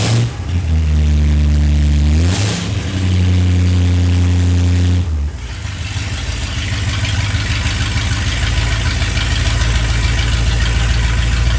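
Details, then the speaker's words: Restored Ford Galaxie 500 V8 started after refitting to check for leaks; initial timing about 10 degrees; cranks, catches, steady low burble, smooth rev toward almost 3,000 rpm: normal start and revving. "look it sounds pretty good pretty good"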